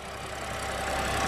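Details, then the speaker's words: BMW 130i N52 engine after the free fix for lifter tick: steady even idle, hydraulic lifter ticking essentially gone, only a light fast injector tick remains; healthy. "now listen how much better that sounds the ticking from the hydraulic lifters has pretty much completely gone the only ticking you are experiencing now is from the injectors"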